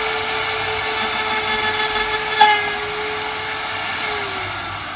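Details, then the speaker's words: Router with bearing-guided flush-trim cutter trimming surplus perspex on a 3/8-scale Bristol Hercules radial engine model: steady high-pitched whine, even tone, no chatter or bogging; normal clean cut. "Then the cutter blade cuts the surplus material that we've left on this disc."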